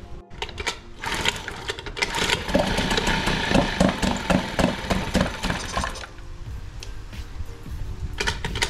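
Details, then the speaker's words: Small two-stroke outboard with a gravity-fed carburetor, no primer bulb, started on choke then opened. After a few catches it settles into a quick, even, steady idle; running normally. "okay so we got this running good"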